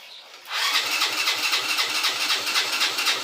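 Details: 50cc motorcycle that starts on the kick but not on the electric start, battery checked first as a suspect: quick, even starter whirring at about four pulses a second with no firing; it cranks but will not start.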